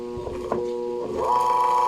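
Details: Desk fan motor hums steadily and won't start unless the blade is spun by hand, then pitch climbs to speed. Shaft bushing turns freely, so another motor fault is suspected.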